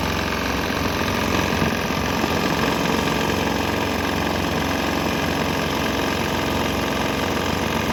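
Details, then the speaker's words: Swan X 165F Chinese single-cylinder diesel on a shipping crate, running on used canola fryer oil: hard even knock-like chug about three beats a second, pace wavering slightly; runs fine. "you would think that the canola oil would made its way all the way in, and yeah, it seemed to be running fine."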